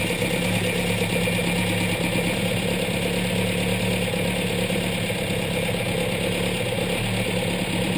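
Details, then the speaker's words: Petrol engine with twin Weber DCOE carburetors after tuning mixture and balance at idle, each cylinder set, idles with a steady, even low burble and no misses; normal idle. "Cool, now I'm happy with that. The engine sounds good. It's ticking over nicely."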